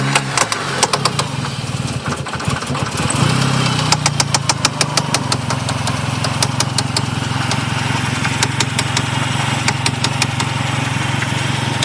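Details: 1G Eagle Talon AWD engine: sharp, steady knocking at roughly three a second over the idle once it catches; owner unsure whether rod knock, dead lifter, binding valve spring or failed transmission.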